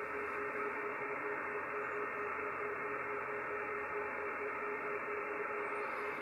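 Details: Yaesu FTdx5000MP receiving 18.130 MHz on 17 m via a doublet antenna: faint low beep pulsing about twice a second under band hiss, an image of an oscillator in the SM-5000 station monitor, traced to three wires.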